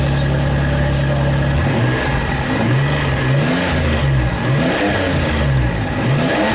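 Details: Engine-swapped truck with a used manual transmission, revving in neutral: a thin steady whine over the engine note; shifting sometimes locks up, and a worn rear transmission bearing is suspected, not confirmed.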